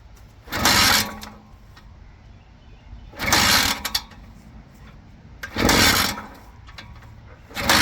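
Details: 1970 Penton 125cc Sachs-powered six-day trials two-stroke, first start in about 30 years, after four kicks: four sharp raspy bursts about every two and a half seconds as it catches and revs briefly, then drops back.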